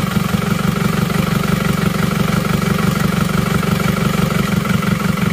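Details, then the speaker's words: Isuzu Panther diesel, after repairing cylinder 4, which had been producing no power: steady, fairly even low chug at idle with every cylinder now firing, slight roughness remaining. "ini semuanya sudah rata Nah sudah ada tenaganya Oke tadi nomor 4 ini tidak mengeluarkan rekat sekarang sudah aman melakukan tenaga"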